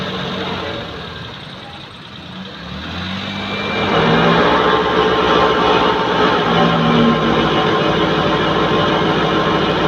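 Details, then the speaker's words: Maruti 800, started and in second gear with the clutch released, front wheel spinning free: steady low hum swells under engine noise, a worn front wheel bearing; louder on the road under load. "ഈ കേൾക്കുന്ന മൂളിച്ചയാണ് bearing sound. അത് ഗിയറിട്ട് second ഇട്ടു. ഈ കേൾക്കുന്നത് ഈ കാണുന്നതാണ് ബെയറിങ്ങിൻ്റെ മൂളിച്ച."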